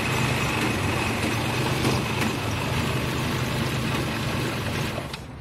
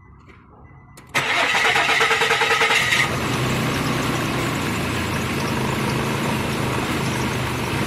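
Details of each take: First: 2006 Nissan in a no-start diagnosis: the cam sensor now gives a good signal, but the engine still idles shaky and lumpy with no clean rhythm; rough idle. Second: 2006 Nissan that would not start, after repairing the camshaft sensor connector and wiring; about a second of cranking, then catches and settles into a steady, even idle with no misses; normal start and idle.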